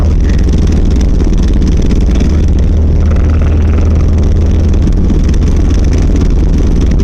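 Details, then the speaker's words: 1990 Volvo 740 while driving, rattle progressively worse over six months: heavy steady low drumming vibration under the car; the driveshaft is rattling, found to be the center driveshaft support and/or its bearing. "But if this helps you diagnose anything at all, what I found out is that it is the center drive shaft support"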